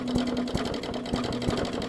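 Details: 2014 Bolens push mower, Briggs OHV engine, with leaky carb needle and seat, fuel line clamped: uneven sputtering, irregular pops three or four in two seconds; flooded, purging excess fuel.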